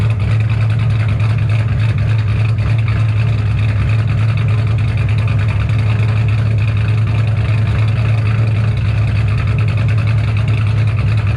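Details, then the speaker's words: 2007 Shelby GT500, supercharged, with L&M NSR cams and a tune, at idle after refueling: deep, steady, lopey V8 rumble with no ticks or knocks. Normal cammed idle. "um she sounds amazing like straight up amazing this is having a supercharged gt500 is one thing cammed on top of it it's just like legit your dream come true right now"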